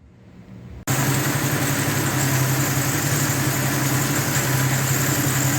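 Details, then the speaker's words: 1976 Dodge D100 after a new exhaust, new brake booster and transmission mount; vacuum up to about 16 from 12–13. The engine settles into an even, smooth, steady idle; normal. "she's running good now it's got a nice smooth idle yeah"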